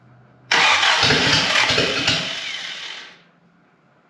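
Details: Willys L-134 engine in a Jeep FC-150 frame, first start since engine work: starter churns about two and a half seconds but the engine never catches; cranks without starting.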